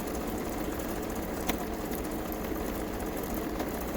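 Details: Kenmore 385-19550 sewing machine being tested after repair of wrong pattern stitches and speed control, speed adjustment screw centred: smooth, even whirring hum at constant speed, no knocking or grinding; runs healthy.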